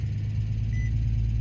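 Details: 2004 Infiniti G35 after a no-start traced to a bad starter relay, not the starter: a low, even idle hum with a steady rhythm and no knocks, misses or squeals. The engine sounds healthy and settled. Normal idle.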